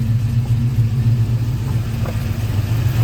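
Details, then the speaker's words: Cammed V8 truck after fixing an electrical charging fault, voltage holding about 14 V: deep, lopey idle with steady choppy rhythm, no ticks or squeals; normal idle. "and everything sounds pretty good it's pretty healthy over here so thankfully you know we got this fixed"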